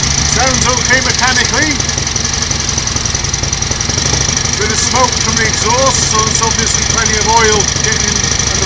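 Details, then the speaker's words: 1938 Matchless Model X 990 cc V-twin started after several years laid up, gearbox and primary drive rebuilt, on a bike lift: steady even beat with no rattles or clatters, some chirping in background; normal idle. "well that is running absolutely beautifully isn't it no Raffles no clatters"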